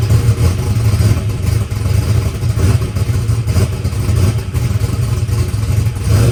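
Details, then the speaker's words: All-aluminum small-block Chevy race car, freshly buttoned up, mixture leaned out slightly, 20W50 oil: deep, loud, steady lopey V8 rumble with no knocking or clatter; sounds healthy, though oil pressure issues were then noticed on the gauge. "guys well car is running good uh sounds good we leaned it out a little bit"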